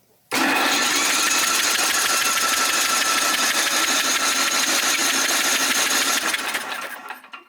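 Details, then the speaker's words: Yard Machines snowblower, Tecumseh 8 hp, hard-starting electric start: fast fairly even cranking whirr with strained edge; starter labouring against stiff engine during diagnosis. "yeah you could definitely hear it straining a little bit"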